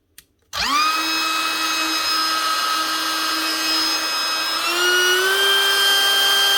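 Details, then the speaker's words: Dewalt DCW600 18V cordless trimmer (router) after bearing replacement; the old bearings had felt too free. Motor spins up cleanly to a smooth, steady high whine with no rattle or rumble, healthy bearings, normal running. "That's her. One Dewalt DCW600 18-volt cordless trimmer with new bearings. Not the easiest thing to do, but it's well worth it compared to buying a new machine."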